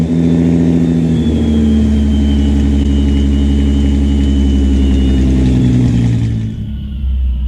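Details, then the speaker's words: 1986 VW GTI MK2 with VR6 12-valve swap, cold start early morning: very low, loping idle with no throttle tension and an uneven beat, sounding like it's missing a cylinder; cause not confirmed. "that's no throttle tension and it idles real low I mean like crazy low but I don't know and it also sounds like it's missing but whatever"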